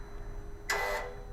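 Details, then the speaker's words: BMW i8 idling, heard at the rear, exhaust flap switched between auto and open via Bimmerlink with F58 fuse installed: quiet idle with a short whoosh as the valve swings open; flap actuator working normally. "and open, we can hear that exhaust flap is moving."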